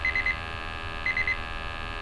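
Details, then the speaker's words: Multi-gas confined-space detector bump test (not calibration) checking CO, LEL and oxygen alarms; triple high-pitched beeps about once a second as test gas reaches it, alarms dropping out as cells return to zero. "you just want to apply enough gas to bring in the alarms and now you hear as the we're uh the cells go back to zero the alarms will drop out"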